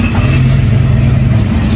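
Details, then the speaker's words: 2022 Lander motorcycle after the engine was reopened and the bearing replaced, following an earlier cylinder kit change: short, steady low idle thump with an even beat and no tapping or rattle. The bottom-end noise is gone. "Então, luxo, sem barulho. Acabou a escola de samba."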